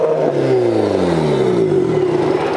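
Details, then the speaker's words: Nissan 180SX after weld repair: revs fall to lumpy, uneven burble at bottom end while pulling clean up high; owners suspect vacuum leak, unmetered air or bad mass airflow sensor rather than plugs. "When you get it up high, it sounds good. But when it's down low, it's really burbly."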